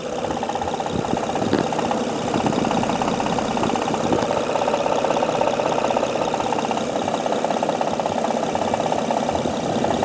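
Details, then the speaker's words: 2005 Honda Odyssey 3.5L V6 idling with top cover removed: steady prominent ticking knock about three per second, not valve slap, with vibration felt, rough idle and hesitation; suspected faulty timing belt tensioner. "There's a ticking sound, major noise actually. It's not from the valve flash, I can tell you."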